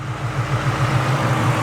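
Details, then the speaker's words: 1998 Cobra back in service after sitting, with a fresh oil change, new fluids and a new AC system, warm after one heat cycle with a few coolant bubbles still bleeding out: smooth, steady low idle with no ticks or misses; normal, healthy idle. "still a couple little bubbles coming out no biggie though sounds very very healthy"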